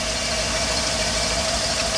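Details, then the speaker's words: OBS Chevrolet Cheyenne truck with LS 6.0 V8 swap, idling: sharp steady squeal over the engine as the serpentine belt slips and tries to jump off a pulley; owner considering a smaller belt. "sounds really good and the belt just jumped off oh it's trying to jump off"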